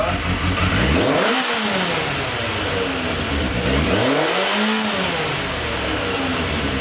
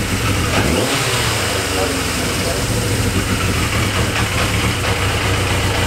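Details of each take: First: Yamaha XJ650 cafe racer four-cylinder, after adjusting the idle screws across the carbs and replacing a split vacuum line to the tank (it spluttered before): smooth blips dropping back to a steady, even idle with no misses. Normal running. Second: Yamaha XJ650 four-cylinder cafe racer project idles with an uneven, loping, lumpy beat; owner suspects it just needs carb idle adjustment, with leftover debris still coming from the exhaust.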